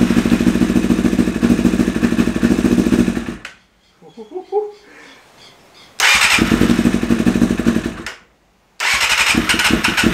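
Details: 1988 Kawasaki ZXR250 on choke and a little starting spray; uneven, lumpy idle with stumbling beat between revs, cutting out twice; owner guesses it's running on 3 cylinders; suspected, not confirmed.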